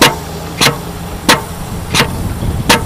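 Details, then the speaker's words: Air-operated material pump recirculating, air regulator dialed down low: crisp even clicks about every two-thirds of a second, roughly ninety a minute, over a quiet hiss; slow, normal pump stroking. "you just want it sitting there just clicking okay actually the slower the slower it clicks and I'm dialing it down you can hear it"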